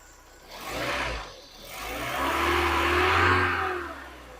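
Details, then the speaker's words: Mk3 VW Golf GTI 8-valve petrol, 115,000 miles, sat unused about six years, just restarted: two clean throttle blips rising and falling smoothly, no rattling, banging, scraping or knocking. Normal revving. "is Dale petrol but it's not rattling banging scraping knocking or making horrible noises"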